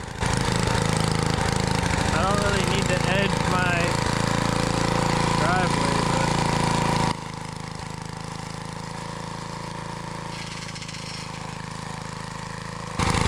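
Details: Trash-found small-engine edger, reportedly burning oil, after carburetor cleaning and mixture-screw adjustment: uneven loping running about four beats a second, level sagging and recovering; more screw adjustment suspected needed; rough running.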